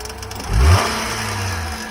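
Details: 2017 Nissan Altima at a tow-yard auction, jump-started, driver airbag deployed and rear quarter damaged: a quick rev rises cleanly, then settles to a smooth, even idle with no knocks or misses; the engine sounds healthy.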